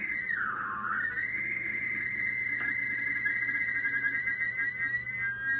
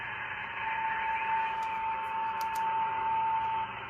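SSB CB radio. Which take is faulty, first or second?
first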